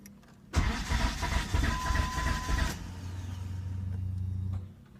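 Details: 2005 Dodge Neon SXT 2.0 that stalled while driving on the freeway, oil and check-engine lights came on: starter cranks in a fast even rhythm for about two seconds without the engine catching; cause not determined.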